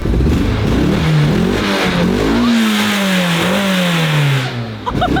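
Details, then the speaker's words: 30-year-old car started after about a year unused, warmed up for about half an hour: engine revs cleanly up and down with smooth pitch changes and no stumble. Earlier misfire seemed limited to startup; runs healthy when warm. "Steady now. That sounded good, man! It sounded good!"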